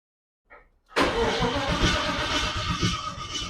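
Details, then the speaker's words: Holden VK Commodore Brock tribute 5.0 V8 cranks with a steady, even churn but never fires. There is no spark. "got any Spark it's got no spark we need to chase that down"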